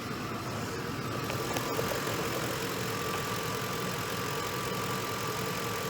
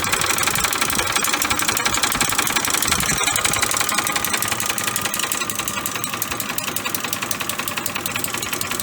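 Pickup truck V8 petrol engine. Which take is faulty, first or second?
second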